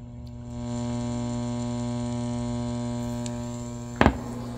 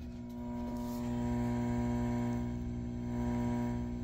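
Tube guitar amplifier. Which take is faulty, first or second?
first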